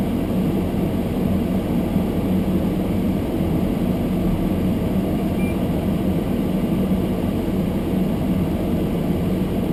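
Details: Almost-new Toyota Prius hybrid, below-freezing cold with fogged windows: heater blower on full windscreen demist, steady even rushing airflow over low hum, no ticks or rattles; camera close exaggerates loudness; normal.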